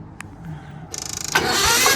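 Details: Gehl skid loader with Onan engine being revived: brisk, even cranking pulses build quickly into a strong rush; starter spins engine properly.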